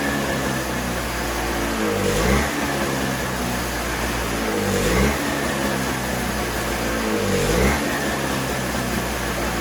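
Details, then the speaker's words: Toro CCR3000GTS snowblower (5 hp Suzuki engine) with the tank empty, started to run dry for storage: steady running that dips and surges about every 2.5 seconds as the carburetor runs out of fuel. "Okay, so now we want to start it up to get the remainder of the fuel that's in the carburetor out by running it through the engine. Same procedure, choke, ignition on, prime, and we're going to let it run dry."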